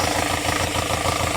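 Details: 2019 Hyundai Grand Starex diesel, brought in cranking but not starting, after injectors were serviced and calibrated: settles into a steady, even idle with a regular beat and no misses or knocks; runs cleanly.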